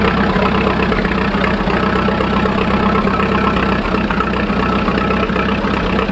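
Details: 1941 Fordson Standard N tracked Roadless tractor idling on petrol after a choke start, warming up before switching to TVO: steady, even low chugging with no knocks or misses throughout; normal healthy idle.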